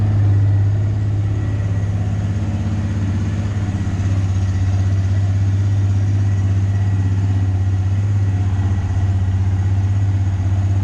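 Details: Abandoned Honda Recon ATV, back together for a test ride: steady, even single-cylinder thump at idle, no misses or rattles; running cleanly, surprisingly good.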